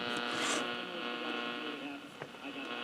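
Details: Motorola 68L11 tube radio, restored but with microphonic tube problems, playing after reassembly: steady low buzzing hum with overtones under the audio; hum cause not identified, grounding with a thumb improves the sound.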